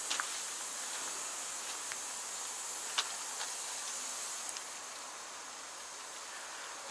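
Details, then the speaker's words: New KAMAZ 5490 NEO 2 truck with engine revs raised to full: a steady thin high hiss of air escaping from the air lines; leak point not yet located, to be checked by circuit. "воздух шипит слышите как здорово слышно потом включу зажигания посмотрю какой контурной потом можно будет определить вообще откуда он шипит"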